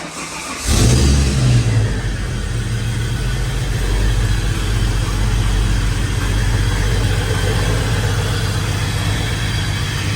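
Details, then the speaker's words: Holden VY Calais L67 drift car with intake, exhaust, bigger throttle body, ported manifold, failed at Winton, unstarted a week: catches into uneven lumpy idle, running rough with faint rattle; cylinder misfire. "So you can hear it's running rough. And I don't know if you can hear it, there is a faint rattle."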